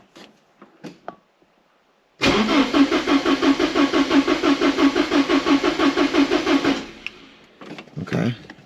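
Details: 1985.5 Porsche 944 non-turbo, sat unused for years, after replacing two reference sensors: starter churns evenly for about four seconds without firing; owner suspects fuel evaporated overnight; crank no start.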